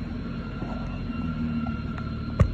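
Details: 2013 BMW 328i at idle with the check engine light on: a thin, steady high whistle over a low engine rumble, caused by air sucked past a cracked PCV valve diaphragm.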